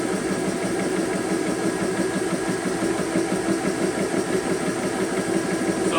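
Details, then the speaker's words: Compressor filling a magfed paintball marker's buttstock air tank, pressure building with no leaks: steady mid-pitched buzzing drone, no hiss or faltering, fairly quiet; normal running. "So guys, it's actually fairly quiet. It's not that loud as you guys can hear in the video."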